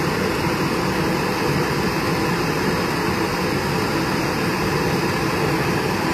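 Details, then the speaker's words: Miele range hood fan after its seized-bearing motor was replaced with a new one: smooth, steady whoosh with no grinding, rattle or wavering. The fan runs normally after the repair. "So, the new motor is installed. That's the old one right here. Just going to give it a test. Turn it on. Perfect."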